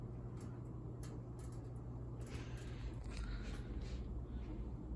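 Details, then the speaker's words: Ceiling fan, possibly 52 or 48 inch, at speed two (medium-high): steady hum with irregular crackles and rattles because the blades are not tight. "Here's speed two or medium high. You can hear the blades crackling and stuff cuz they're not tight."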